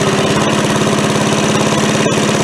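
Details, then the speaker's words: MTD push mower after carb cleaning, oil not yet changed: even, quick single-cylinder putter at idle with no misses or surging; runs much better with far less smoke, though it still won't throttle up. "I think it runs way better. Right, let's see here if I can do this. So obviously, way less smoke."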